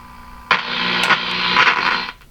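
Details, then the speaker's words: Bendix Model 110 AM vacuum tube radio during checkout with a signal generator connected: sudden loud rough hiss/rumble for about 1.5 s, indicating a grounding mistake, likely the ground clipped to an isolated capacitor frame. "that's not a good sign at all so that that rumbling indicates some kind of grounding mistake here"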